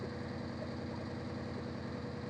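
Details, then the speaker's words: Maruti Suzuki Omni MPFI idling with poor pickup, hand held at the cracked silencer/tailpipe; faint uneven "tak tak" puffing shows one cylinder dropping out, a misfire. "സൈലൻസറിന്റെ ഭാഗത്ത് നമ്മൾ കൈ ഇങ്ങനെ വെക്കുന്ന സമയത്ത് ഒരു cylinder ഇങ്ങനെ അടിക്കുന്ന ഒരു ഫീൽ നമുക്ക് കിട്ടുന്നുണ്ട്. ടക് ടക് ടക് ടക് എന്നുള്ള ഒരു ഫീൽ നമുക്ക് കേൾക്കാം."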